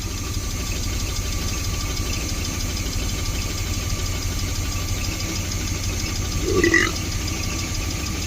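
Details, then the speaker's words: 1972 Barth motorhome petrol engine running on its own for the first time in 15 years, key on with fuel pump pressure, unassisted: steady, even low rumble with no misses or knocks; holding a smooth idle. "key on fuel pressure and look look I can go all the way back here and it runs I'm not helping it"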